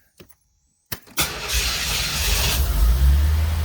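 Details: C4 Corvette after fixing an intermittent no-crank fault (starter not spinning) by rewiring/soldering a relay circuit behind the dash: short starter crank, engine catches quickly and settles into a steady, even, low-rumbling idle; starts normally.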